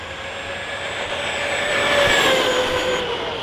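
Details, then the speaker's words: Stock ARRMA Kraton 4S BLX monster truck, speed run: high motor whine sweeping upward at launch, uneven at first, then pulling cleanly; slipper clutch slipping at the start, then gripping. "You can hear the slipper just slipping at the start, and then it goes good."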